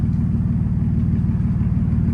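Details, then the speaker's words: Abandoned Subaru 2.5 RS, sat almost 20 years, first start on a borrowed BMW battery: very loud, raw, rapid exhaust pulses with a deep unmuffled rumble from straight open headers and no exhaust fitted. "What the heck? Holy crap, that is so loud! Let's go! Dude, the Subaru engines are so loud without their caps on there. Like, this is just straight open headers."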